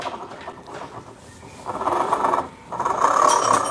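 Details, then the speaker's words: Scooter with the CVT belt cover open and the rear wheel spinning: a rough growl swells clearly; the mechanic suspects a worn rear pulley bearing but says it must be opened to confirm. "ini semakin jelas bang untuk memastikannya ini harus dibuka ya saya aja yang udah sering menemukan penyakit kayak gini tetap harus dipastikan dulu ini harus dibuka"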